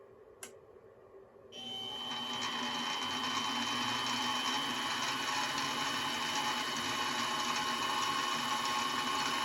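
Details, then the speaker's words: Mini milling machine, apparently gear-driven spindle, started cold: spins up to a steady high whine with even gear buzz, no knocking, a little noisy but no vibration; normal spindle running noise. "it is a little bit noisy though, but there's really no vibration at all."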